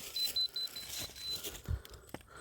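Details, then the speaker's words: Rotating laser level set on a chair while levelling a 20x24 ft floor base: the receiver gives quick high repeated beeps that slow as it nears the beam and stabilize on it, plus handling clatter. "So see, you hear it beeping. When it slows down, it's close, and when it stabilizes, oh, I'm not going the right way."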